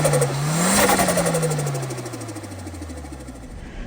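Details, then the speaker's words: Nissan S13, originally a stock automatic single-cam, just swapped to an SR20DET turbo engine: revs blip up and drop back to idle smoothly, even firing, no knock or rattle; sounds healthy. "simply just Sr Sr swap the car um it sounds great to be honest"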